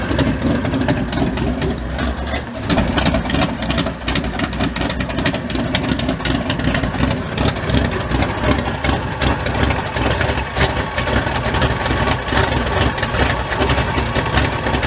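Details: Mud bog truck V8 started after sitting since January. Lumpy, uneven idle with irregular stumbles and misses that never settle into a steady beat, caused by fouled spark plugs needing replacement.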